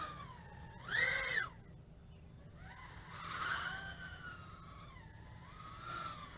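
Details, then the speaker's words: Ideafly IF88 88mm micro brushless racing drone in flight: a high whine that swoops with throttle and has a faint flutter; the owner suspects the fluttering noise is just the props and motors. "yeah I can still hear hear that fluttering noise maybe it's just the props itself"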